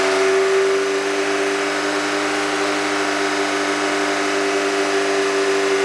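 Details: Car engine idling after Rislone engine treatment was added while running: smooth, even idle with a steady hum and no tapping from the top end; the hydraulic lifter noise is gone.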